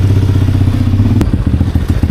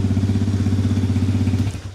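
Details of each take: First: 2020 Chinese Apollo 250cc dirt bike, sat 2 years with gas left in carb, on a ride: single chugs with rapid, uneven pulse, never climbing past mid revs; owner suspects dirty carb; plans to pull carb and main jet. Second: 2020 Chinese Apollo 250cc dirt bike, after electrical repair: cold start with exhaust completely cold; steady, even single-cylinder thump at idle, no knocks or misses, then shuts off; normal healthy idle.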